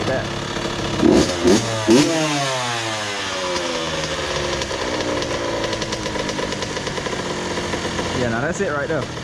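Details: 2001 Honda CR80 two-stroke, previously knocking, after idle screw adjustment: a couple of quick blips settle into a soft, even idle with no knocking; smooth normal idle.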